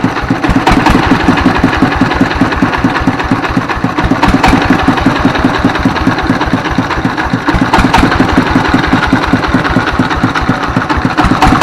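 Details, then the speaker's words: Single-cylinder S1115 24 HP diesel, previously thick black smoke and surging speed, after repair; fast even thumping with steady beat, no misses or surging, smoke reduced, running normally. "Baik sahabat ketika posisi stasioner ya ini gas ini bisa besar kecil besar kecil ya posisi stasioner itu tidak masalah normal ya"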